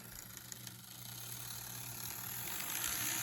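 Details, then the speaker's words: Restored vintage 1957 Revell HO-scale Union Pacific 0-6-0 dockside saddle tank model locomotive running forward at slow crawl on DC power; thin motor whir with light gear chatter, rising slightly with speed; a little noisy but runs fine. "wow that runs is a little noisy but for an old model like that let's see how slow she can crawl wow and this is DC power mind you that is an extraordinary crawl for such an old model"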